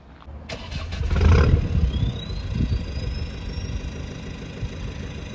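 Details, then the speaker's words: Ford Focus MK2 TDCi diesel, tuned stage 3 (about 100 hp over stock 90): starts and settles into a low rumble while a thin whistle rises in pitch then holds, not normal at all. "Donc vous entendez ce sifflement. Et là, vous vous rendez compte que c'est pas du tout normal."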